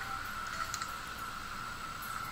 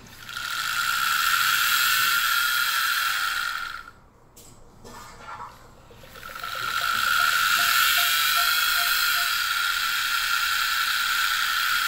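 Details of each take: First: Wii U disc drive after repair of grinding noise and invalid disc errors: steady even whir, nice and smooth, no grinding; disc reads fine. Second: Nintendo Wii U disc drive making a harsh, steady grinding whir with a brief pause and faint ticking, then giving invalid disc errors; motor screws were loosened after overtightening, still not fixed.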